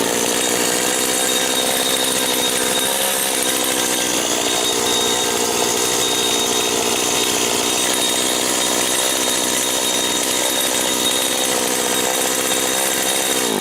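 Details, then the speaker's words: Rebuilt STIHL FS 70 R string trimmer idling after a carburetor adjustment: a high, thin two-stroke buzz with a steady bell-like ring on top, and the head still turns slowly; the owner suspects something loose, possibly the clutch. "Now I'm no mechanic. I'm no mechanic, but that ringing, that bell sounding up in there sounds like something that's loose. Maybe it's the clutch."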